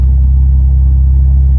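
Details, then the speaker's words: Pontiac Grand Prix G-body V6, heard from inside while cruising: loud, deep droning rumble with coarse low burble, too boomy for a stock V6; the muffler casing has blown a hole and is leaking exhaust. "I know you can hear the exhaust in the background. We do know that this is a V6, so it doesn't normally sound like that."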